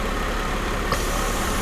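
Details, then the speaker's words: 1995 Mercedes SL280 with erratic warm idle and hot-start problems, oxygen sensor reading rich: steady idle, soft pop then faint hiss as a manifold vacuum pipe is disconnected to induce an air leak, and idle starts to hunt. "You hear that hissing and it starts to hunt, and that's how we're going to induce our air leak on the system"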